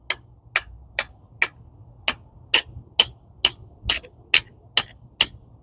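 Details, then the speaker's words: 2011 Ford Focus rear drum brake during the brake job: crisp, evenly spaced ratchet clicks about twice a second as the spring-loaded toothed adjuster wheel turns, normal self-adjuster action. "I know that's probably loud for you guys, but it's got teeth on this wheel and it's, you know, spring loaded to keep a constant tension uh, you know, where it needs to be set."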